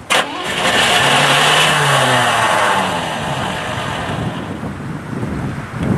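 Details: Old Cadillac with everything leaking, first start attempt after priming the carburetor and adding fresh gas: starter engages and cranks briefly, then drops out, engine sputters but won't catch; weak starter solenoid keeps kicking out.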